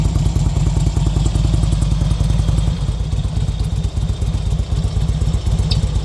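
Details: 2005 RK Classic: loose, loping idle with heavy low thumps about four a second and some clatter over it; abnormal engine noise, cause unknown.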